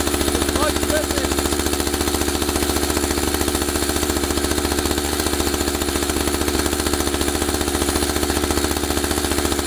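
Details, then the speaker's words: Husqvarna 572XP AutoTune two-stroke chainsaw; idle speed deliberately raised until the clutch carries the chain around, then brought back; fast, even idle with steady firing pulses; idle set too high, clutch engaging. "let me show you what i was talking about with the idling i'm going to up the speed of the idling until the saw uh carries the chain around and then i'll bring it back so you can see what i talked about right now"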